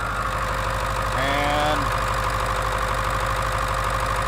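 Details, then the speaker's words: 2002 Ford F250 7.3 diesel with a no-start-when-hot problem, run cold with the valve cover off: steady, even idle clatter at about three beats a second with no misses or uneven knocks. No oil seen around the injector bodies and the deflectors spray oil normally; normal cold idle. "Alright guys, situation normal as best as I can see. There's nothing that looks to be coming up and around the injector bodies. All I can tell is everything looks pretty normal. Of course, it's not warm."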